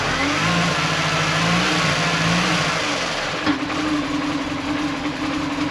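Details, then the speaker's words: Manual Mini Cooper (supercharged) after reassembly with new water pump, oil filter and cooler lines; irregular, lumpy idle with steady misfire stumble; erasing codes didn't help, owner suspects throttle body needs cleaning, unconfirmed. "Definitely sounds like it's misfiring."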